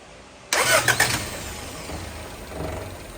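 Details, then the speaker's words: 1975 Honda Civic CVCC after long storage, plugs reinstalled, full of oil, coil suspected junk: brief crank, then the engine catches and fires, running roughly at low idle for a couple of seconds; it starts. "No way. It is running. Oh my god."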